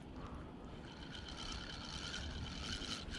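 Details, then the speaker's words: Used 2011 Freams spinning reel, after disassembling and cleaning the line roller: gritty grinding rises and falls with each handle turn while reeling, still present; owner unsure it improved. "狩りのシャリシャリ強とがなくなるかどうかちょっとやってみようと思いますちょっと巻いてますねーなるななりますね"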